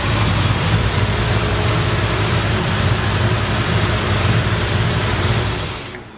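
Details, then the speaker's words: 1954 Ford F-100, hot rod restored, 302 V8 with automatic transmission, heard under the hood: even, smooth low idle burble with steady rhythm and no knocks or misses; runs perfect. "custom done nice and clean under the hood you can hear the engine runs perfect"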